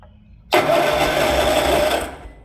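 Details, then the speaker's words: 36-year-old Toro Wheel Horse 416-8 garden tractor after hunting down wiring faults with safety switches bypassed: starter whirs steadily for about 1.5 seconds without the engine firing; normal cranking restored. "So we got it cranking. The next step is going to be to put this stuff back together and see if we can't get it to actually fire up."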